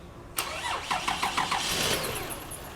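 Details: Toyota Sienna van that did not start gets a quick crank of about four even turns after starter replacement, then catches cleanly and settles into a steady idle; healthy start.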